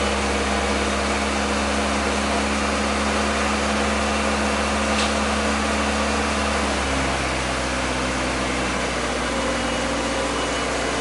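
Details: Acura Integra, with a coolant leak, owner suspects a dirty or clogged idle air control valve: engine holds a fast steady idle around 2500 rpm, stepping down slightly partway, never settling low; high idle, cause unconfirmed.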